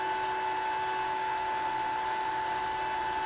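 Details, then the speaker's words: Gramercy Place Garage CO-testing exhaust fan after reset: sensors not communicating, fan goes to 100% speed, which is correct with no sensor signal (first thought it shouldn't); steady, even whine with two clear tones, no beat or rattle. "it's going up to 100 speed okay well and it shouldn't be doing that"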